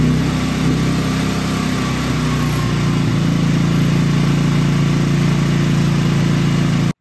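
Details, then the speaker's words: Genmax GM9000iED generator after spark plug change, starting issues resolved by shaking the generator: restarted multiple times, smooth even drone with no misfiring or stumbles; normal running. "I turn it off I turn it on again I turn it off I turn it on multiple times no misfiring no problem at all stay on no problem at all"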